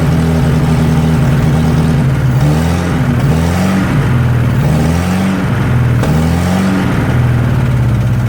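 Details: 1963 Nissan Junior ute, sat 15 years, leaking carburetor: uneven, hunting idle that sags and picks up, stumbling lean, better on choke; a vacuum leak.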